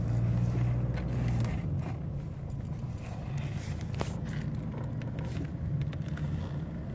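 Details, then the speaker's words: 2006 Mercedes C200 CDI driving uphill in fourth gear, just above 1000 rpm and lugging: low droning rumble with loose knocks from the front left; owner suspected a stabiliser link, found a loose sway bar bracket with stripped thread, noise gone after repair. "Ça le fait, le régime moteur, je suis à un peu au-dessus de 1000. Donc je suis en sous-régime et on va entendre vibrer."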